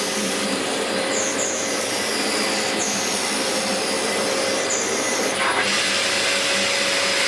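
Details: 17-year-old Dyson DC04 upright vacuum, belt recently replaced, on carpet in a big mess test: steady even motor whir with smooth airflow hiss, no rubbing or labouring; running healthy.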